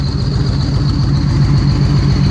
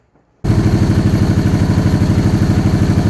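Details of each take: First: 2013 Victory Cross Country supercharged V-twin after the plug, coil and plug wire fixes: even loping idle pulses with a steady supercharger whine above, a normal healthy idle; the blow-off valve also puffs with each cylinder when riding. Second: Supercharged 2013 Victory Cross Country, first start after sitting over a year: it catches and settles into a lumpy low thump, about three beats a second, running on one cylinder. A damaged front plug wire was not making contact and fouled the front plug.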